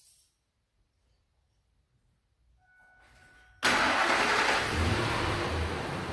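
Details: 1999 Ford F-150 5.4L, started after spark plug replacement with the battery reconnected. Silence, then it fires immediately into a smooth, even idle with no misses. Running fine.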